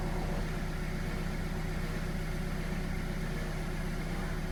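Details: All New Kia Picanto after replacing the alternator (Mire, made in Korea) for a low-charging fault: steady, even low idle with a smooth, unbroken rumble and no knocks, ticks or whine; engine sounds healthy.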